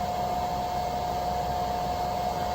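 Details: EGSCATEE 2500W pure sine wave inverter on idling car, 14.2 V battery, powering blow dryer on low (~390 W, 116 V AC, 3.3 A) plus lights and charger: steady airy whoosh with constant hum, no dips; normal running.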